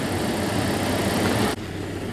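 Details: 1998 Jeep Cherokee petrol engine after a no-start, no-spark repair; the swapped cam sensor was bad and the coil tested good. Steady, even low idle with no misses or knocks, running smoothly and healthy.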